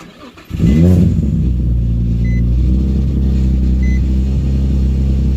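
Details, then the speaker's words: Nissan 350Z VQ35 with a suspected misfire, just after fitting a new battery: brief crank, then a steady, even low idle with no stumbles or misses; idle still seems a little low, misfire no longer heard. "I don't hear the misfire thing anymore but yeah so what I'm gonna do is go for a quick little drive and then see if anything happens"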